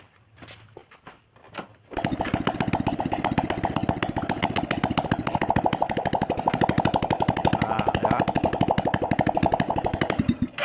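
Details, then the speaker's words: Honda Supra X 125 motorcycle after rebuild with new oversize piston, started with the clogged muffler removed for cleaning: a few cranking taps then a loud, rapid, sharp open-pipe popping bark. "oke nah itu untuk suara yang gak pakai knalpot karena knalpotnya itu mau dibersihkan dulu Lur"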